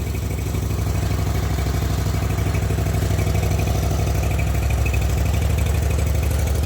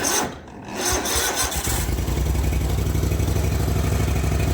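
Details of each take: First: Zero-turn mower after carburetor rebuild, battery on charger: even, low, steady thumping idle with no misses, surging or rattles; running smoothly and healthily. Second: Zero-turn mower just after carburetor rebuild, battery a little low: slow, dragging crank for about a second before catching into even, quick-firing idle; weak battery, charger connected.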